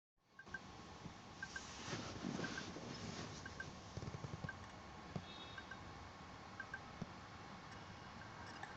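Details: Asus laptop hard drive idling with faint double ticks about once a second over steady hiss, only when screen is off; drive works fine, owner suspects click of death.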